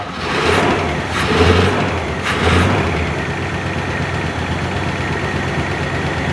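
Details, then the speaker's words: 1976 GMC C35 small-block Chevy 350, started on penetrating oil and its carburetor after about 10 years sitting, mouse debris blown from the cylinders: rough idle with ticking and rattles, cause unclear. "idling it's quiet it's Ely it's not perfectly quiet there's some elctro noises they'll go away though maybe"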